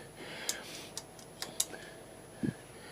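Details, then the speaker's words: Suzuki GSXR 1000 front brake disc rocked by hand: sharp irregular metallic ticks from several loose floating disc bobbins, which chatter at low speed; discs being replaced. "old Bob in is loose and I think there's a there's a few of them there's another one that one's a little bit one on the back there so yes there's a few of them and that really is annoying at low speed you can hear it just chattering away"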